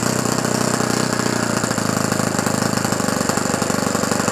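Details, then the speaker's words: Fully restored OS FS-120 Surpass four-stroke glow engine (20 cc, 15x8 prop, new ring) on first start for break-in, running 5% nitro fuel with 20% oil. Idle needle untouched; a rapid, lumpy popping idle, clearly rich, temperature good. "Le ralenti, il est gras. C'est bon."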